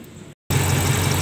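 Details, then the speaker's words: Toyota Kijang after its emission control module was serviced, with a test lamp on the solenoid wire: the engine settles into a steady, even idle with no misses, and the lamp stays lit at idle. Normal idle. "jadi ini mobil sudah hidup ya saat stasioner lampu menyala seperti ini"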